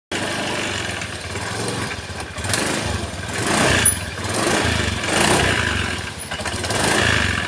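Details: Honda Beat scooter CVT, unserviced for years: coarse rattling clatter rising and falling with revs, rough and loose-sounding; caused by badly worn roller housing and damaged CVT parts.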